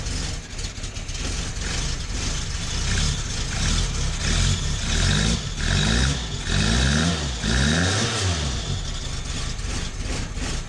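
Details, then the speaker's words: 1972 Fiat 850 Sport Spider with an adapted Fiat 127 alternator, engine running. It has a low, lumpy idle that sags and stumbles as if about to stall, with brief revs between; idle speed too low, set via ignition timing. "you can hear and see it wanting to die means it's too much means the engine is too much the idle's too low because you set your idle speed with your timing"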